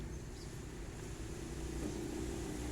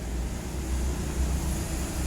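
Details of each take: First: Hitachi automatic washing machine after replacing faulty motor (had hummed but not turned), spin test: quiet low motor hum building smoothly as tub speeds up, no knocks or grinding; motor now spins normally. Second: Hitachi automatic washing machine that won't wash or spin: a steady low hum with the motor audible but the drum completely still after pressing start. Cause not yet diagnosed.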